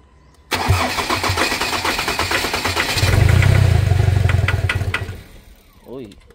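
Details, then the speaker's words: Ford Ranger diesel with knocking, water found in fuel: cranks at about four beats a second, catches and roars briefly, then dies within two seconds; injector trouble from water. "umaandar ah. Isa pa. Sige. Ayaw. Bumukasin tubig na e."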